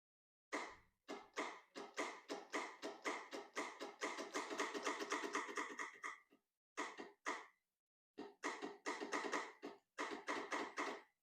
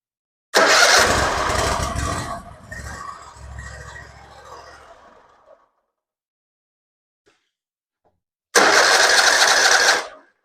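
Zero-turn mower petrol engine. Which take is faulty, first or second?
first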